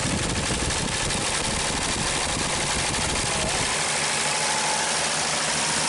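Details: 1939 Chevrolet Master, running and moving after 48 years of storage. Steady, even, unbroken idle with no misses or knocks; it runs pretty good.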